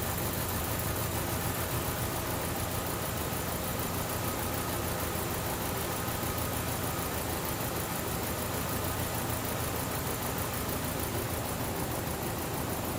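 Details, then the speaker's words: 2012 Chevrolet Cruze with flashing check engine light and traction control light: uneven, shaky rough idle with an irregular stumble under a steady hum, cylinder two misfire persisting; suspected failed ignition coil. "my misfire on number two is still going okay so at this point in time we're going to have to do something different"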